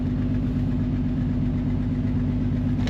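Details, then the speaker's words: 2009 Honda Odyssey V6 at idle with a severe misfire: an uneven, lumpy beat with the check-engine light flashing. Mechanic hopes it isn't low compression. Fixed with new spark plugs and an oil leak repair. "tiene un misfire grave Ah Espero y no sea compresión del motor porque si no es mala noticia para el"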